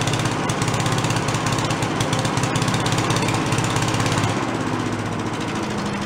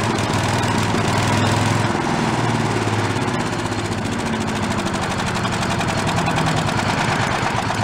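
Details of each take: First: Giant Vac walk-behind leaf blower, probably late-70s/early-80s, primed, first run: fast even two-stroke buzz at full throttle with steady firing, no misses or surging; carb lacks an idle circuit, so it can't idle. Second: Late-1970s/early-1980s Giant Vac walk-behind leaf blower, single-cylinder engine: idle rises and sags instead of holding steady; carburettor has no working idle circuit, no fuel at idle.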